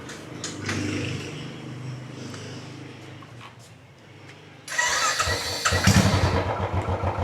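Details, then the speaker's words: Royal Enfield Classic 350 UCE, 43,000 km, after sprag clutch replacement and oil refill, in neutral: short starter whirr, single catches first try into even thumping idle; starting fixed. "Yes. It starts. One click. Hit start."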